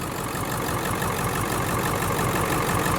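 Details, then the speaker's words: Ford F350 diesel with a crank-no-start fault, after the fuel tank was cleaned, low on good fuel: the idle has a slightly uneven beat of about three pulses a second that come and go. It is smoothing but still a bit rough; cause not confirmed. "Actually, the engine is getting smooth. Yeah, it's still running rough a little bit."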